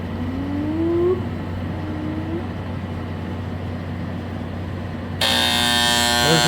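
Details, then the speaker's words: 2003 Kenmore R22 window air conditioner, as it behaved at the customer's house, before repair: steady electrical hum, then loud buzzing strain as the compressor tries to start; hard start, possibly locked up. "compressor. That's a compressor trying to start. It might be locked up. I don't know."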